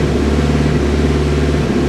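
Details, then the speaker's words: 2000 Ford Focus, stumble at highway speed on light throttle, no codes: engine held in gear against brake under load gives low uneven pulse with dropped beats; fuel pressure steady, misfire traced to a bad ignition coil, replaced. "I don't know if you can hear that, but it's missing right now. And the fuel pressure's good."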